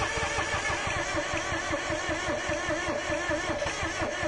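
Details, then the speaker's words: Car with a no-start, cranking during a spark test at the coil wire: even, quick starter cranking that never fires; no spark jumps, though fuel can be smelled. "there's a jump there okay stop yeah it wouldn't jump it wouldn't jump"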